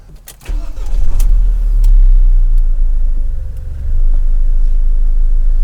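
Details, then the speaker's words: 2006 Audi A4 S Line convertible, engine that earlier ran rough, diesel-like with no oil pressure, now after repair: cranks, catches and settles into a smooth, quiet, even hum without knocking or rattling; running normally. "you guys hear how quiet the engine's running now isn't that crazy it sounded like the thing was about to fall apart"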